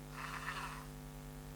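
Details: ISDT ESC70 driving a small brushed motor in a Gatekeeper RC crawler, 3.5 V per cell cutoff, 6.8 V BEC; after changing PWM frequency to 20, the ESC whine is gone, leaving a soft low hum at a slow crawl.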